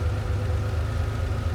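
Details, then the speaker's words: Ferrari 512BBi after mixture adjustment (previously lean and hunting), adjustment hole covered: low, even idle with a steady unbroken beat and no stumbles or misses; smooth idle. "The engine smooths out as soon as I cover the uh the adjustment hole over. Very good."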